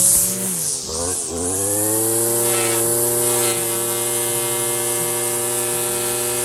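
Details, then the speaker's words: Stihl FS56 residential string trimmer cutting tall, thick grass: as the string shortens against a fence post, revs climb quickly and hold a clean, steady high whine. Normal full-throttle running with no bogging. "Now listen to him rev up as this string begins to shorten on this fence post."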